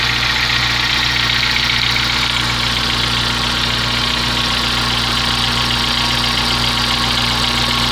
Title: Gol g4 barulho no motor